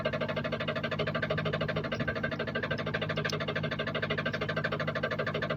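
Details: 2014 Jeep SRT8 6.4L 392, customer-supplied engine that apparently had been rebuilt before, running with vehicle suspended, camera near oil pan: heavy even knocking about three times a second at idle; crankshaft balancer contacting piston skirt.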